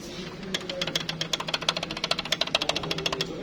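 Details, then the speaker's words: BMW X3 F25 interior rattle: quick sharp plastic ticks, about eight a second, as a loose plastic clip knocks against plastic trim, found after disassembling the car. "И вот оно, бьет по пластику."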